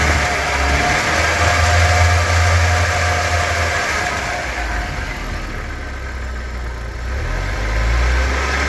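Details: Nissan 200SX S13 with CA18DET turbo four at idle and revving: uneven, lumpy pulse and wavering low drone, a rough idle, cause not clear.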